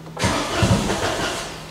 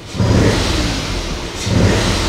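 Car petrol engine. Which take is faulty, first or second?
first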